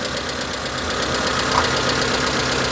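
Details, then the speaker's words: Proton Satria 1.5 petrol engine idling unevenly with an irregular stumble; the misfire moved from cylinder one to two; compression went from 75 to 200 after valve clearances were done; a faulty injector is starving a cylinder. "Oh, look. It's now on cylinder tomb. Yeah, the misfire's moved."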